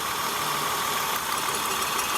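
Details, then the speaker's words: 2002 Acura TL petrol V6 idling rough and rattly, check engine light flashing and TCS light on; misfire, two cylinders not firing; pulling each coil shows no change on dead cylinders; bad ignition coil and spark plug replaced. "You hear it rattling. And then for this one, it stays the same. There's no rattle. So that means this one isn't contributing."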